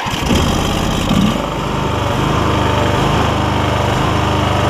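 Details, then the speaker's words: MTD Lawn Chief garden tractor V-twin, 46-inch deck, Hi-Lo Varidrive, 7-speed, just started with a little choke: runs pretty good but the idle pitch dips and recovers, a slight surge; charging still to be checked. "It just surges just a little bit. I do need to check to see if it's charging, which I'll do in just a second."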